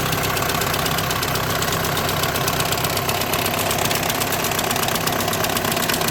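At idle a constant buzzy chatter and fast light ticking ride over the engine, consistent with a vibrating DSG clutch plate or bearing.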